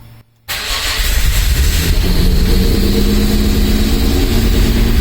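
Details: Mazda MX-5 with Rocketeer V6 swap kit, first start, running in wasted-spark mode not fully sequential: catches after short crank and settles to strong fairly even idle with a little throttle; sounds healthy.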